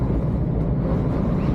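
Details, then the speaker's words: Lorry cab on the M5 southbound in strong wind, running empty: a steady low roar with a gusty rumble at road speed and nothing mechanical on top; the driver blames worn door seals after years of slamming. "Straight away you felt the wind, felt the difference, and I can hear it. You know, the seals are obviously not very great on these doors after a few years of slamming and banging and whatever."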